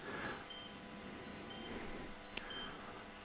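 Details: DJI FPV goggles at 4% battery during a lengthy firmware update: faint, short high-pitched low-battery beeps repeat about once a second over quiet room hiss.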